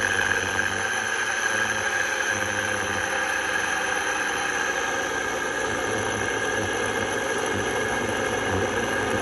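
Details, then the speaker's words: Drill motor run at full speed (drill rated 2600 rpm) gives a constant high squeal and whine over a rough whir; owner believes it is the motor bearings, likely dry or worn. "when i got the drill to full speed this motor i do believe is the bearings making that awful noise but have a listen for yourself"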